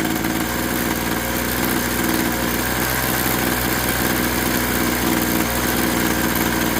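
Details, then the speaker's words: Craftsman 21cc Bushwacker two-stroke hedge trimmer, restarted after sitting nearly a year: a steady, even buzz with no surging or stumbling at idle, on half choke; normal idle. "It runs fine."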